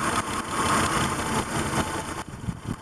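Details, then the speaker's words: 2000 Honda Accord 3.0L V6 with P1399 and P0304 misfire codes, one cylinder already dead and a good cylinder's connector unplugged: the idle drops into an uneven, lumpy stumble with two cylinders not firing, smoothing again when reconnected. "so you hear the idle difference it just the idle drops down the engine starts to run really really rough rougher than before"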